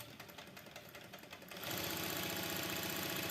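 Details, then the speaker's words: Heavy-fabric sewing machine with enlarged shuttle (max stitch 7 mm), running at 6 to 6.5 mm stitch length: even rhythmic whir near four stitches a second, steady, no knock; reverse lever rattles only at 7 mm, which mismatches the needle plate slots. "ставлю только 6 миллиметров ребят все пожалуйста все работает всё работает"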